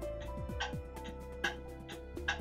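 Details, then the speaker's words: Pendulum clock movement on a test stand with a beat amplifier, after bending the crutch in small increments; crisp tick and tock alternate at perfectly even spacing; clock in beat. "you can hear how even the tick and the Tock is and we accomplish that by bending the crutch to the left and then to the right to find out which direction we have to bend it"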